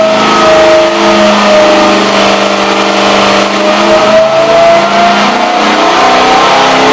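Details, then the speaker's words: 1967 Pontiac GTO 400 cu in engine, basically stock, flat-tappet cam already broken in, rated over 430 lb-ft and 325 hp, on a dyno under full load: loud, steady V8 roar with revs climbing smoothly; healthy, strong pull. "So we're going to look at the engine working hard and listen to it grunt and groan. As I mentioned, this engine will work harder in the dyno than it's going to work in John's car."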